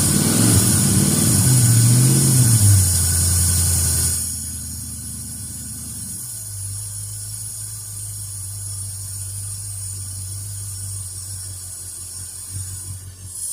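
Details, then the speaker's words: A Ford Fairlane V8 after a fuel pump swap and new coil settles from revving into a steady, even low idle with no misses or knocks, with fuel pumping plenty through the filter. It sounds healthy. "there we go [Music] just running perfect yeah I could see a pumping plenty of Dash through the filter so that's working"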